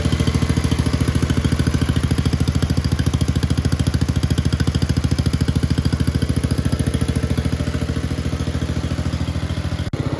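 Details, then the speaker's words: 1962 Bolens Ride-a-matic small single-cylinder petrol engine after restoration work, started with a bit of choke: steady, even beat at constant speed with no misses or knocks, running very well. "we are back in the workshop now uh because just after that last clip where it was running very well"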